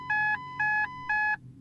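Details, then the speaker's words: Ford Mondeo with an intermittent no-start, after an £8 ignition switch replacement: three even high beeps, the engine malfunction warning chime, then it won't turn over; owner suspects the BCM, noting it followed washing the windscreen. "the engine malfunction would sound, and now it doesn't turn over. Oh, pants."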